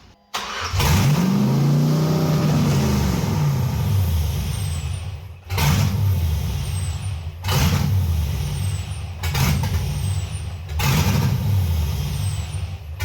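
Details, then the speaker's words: 1989 Chevy S10 Blazer LS swap on the LS1 intake: V8 catches, then idles unevenly with rhythmic dips and surges; vacuum leak, the MAP sensor was left off, leaving an open hole in the back of the intake. "we must have a vacuum leak or something what's this that looks like it could be a vacuum Le that thing right there H yeah that might be an"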